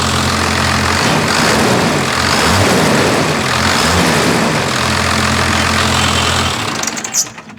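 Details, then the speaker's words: Newly bought first-gen diesel, full-fuel screw backed off a quarter turn, idle screw untouched: even, steady diesel clatter at idle with no hunting or misses before shutdown; normal idle. "A quarter turn. We should be good now. Sounds better."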